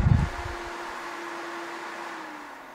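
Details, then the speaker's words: Titan 12V 140mm remote-control RV roof vent fan bench-tested before install, run from low up to max speed: short thump at start, then smooth, even whir and steady mid-pitch hum, no rattle or scrape; normal fan operation. "it's not making that strange noise which good thing there crank it up to max sounds pretty good"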